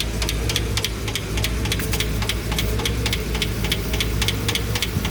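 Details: Engine with the right cylinder bank's valve train open: light, quick ticking about four a second over a steady idle; the hydraulic lifters are pumped up and sound normal again after earlier noise, with a slight oil leak noted.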